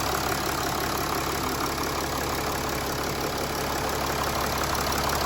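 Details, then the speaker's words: 2011 Mercedes ML300 OM642 diesel just after fuel filter change and refitting fuel inlet/return lines: started first time, even steady idle with soft regular clatter, no misses or hunting; healthy, no leaks. "All right, so let's start it up. So there we go, folks. Started up first time."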